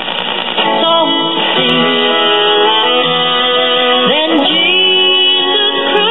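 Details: Apparently never-used 1965 Magnavox 5-tube AM clock radio with new filter capacitors: clear music with no hum, crackle or fading, AM-like cut treble; playing normally.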